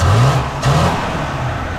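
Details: Original, apparently never-rebuilt 1953 Buick engine, distributor freed, timing not yet finalized and a little hard to start: pulls up smoothly on a quick rev and settles back evenly, no knocks or misses. Normal free revving.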